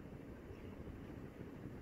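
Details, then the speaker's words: Westinghouse Bendan ceiling fan, installed late 2014, over six years old, on highest remote setting: steady even whoosh with low hum, no knocking or scraping; slight wobble but acceptable, runs fine and quiet. "i mean for me this is absolutely fine it's uh within what i would consider um acceptable i'm gonna try to get it up further but anyway it's working fine"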